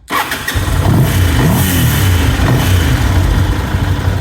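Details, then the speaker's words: Ducati 750 SS Supersport L-twin, 29,765 miles, warm (not cold) start, new aftermarket cam belts: quick strong crank catches at once into deep loping steady idle with dry clutch noise; healthy start and idle. "So as you can see, she starts and idles lovely. Got that beautiful Ducati clutch noise. We all love that."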